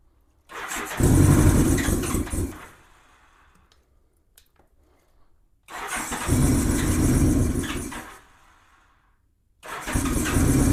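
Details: 1987 Honda GL1200 Goldwing, cold, choke not working, throttle given while cranking: three cranking tries, barely catches, stumbles and dies with some smoke; owner suspects insufficient fuel supply and dirty carburettors needing cleaning.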